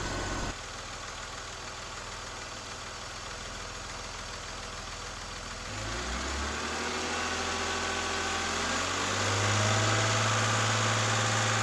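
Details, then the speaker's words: 2001 BMW E46 330i automatic cold start after oil filter housing gasket, VANOS oil line and oil filter work; catches and settles into a smooth even idle, then rises slightly to a steady fast idle without knocks or stumbles; normal cold start idle. "it's running really good so far really good"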